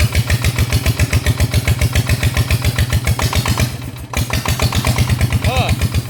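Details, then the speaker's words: Kubota diesel engine that had been vibrating, after repair and reassembly: even, steady chugging around 220 beats a minute with no irregular knocks; noticeably less shaking when revved than before; normal running. "จากความรู้สึกนะครับตอนที่เร่งทีแรกนะครับกับตอนนี้นะครับมันมันจะสั่นน้อยกว่าแบบเห็นได้ชัดเลยนะครับ"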